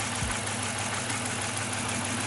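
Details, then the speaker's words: 2006 Dodge Charger 5.7L Hemi at idle: faint, even, quick valvetrain tick over the hiss, in time with the cam; owner suspects a bad lifter on the right side, after checking coils, compression, sensors, PCV and injectors. "I mean, it's going with the cam, but I will say, I think a lifter went bad. I think a lifter went bad."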